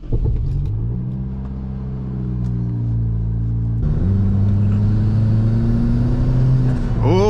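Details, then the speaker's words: Turbocharged Toyota Corolla, 1.8L 1ZZ-FE converted to 1ZZ-FTE, first boosted test drive, boost controller at five clicks: engine climbs smoothly on half throttle reaching 2 PSI, previously only 1 PSI at wide-open throttle, apparently a wastegate issue; normal turbo boost. "it does work it does work we got to 2 PSI there okay we just figured out our problem"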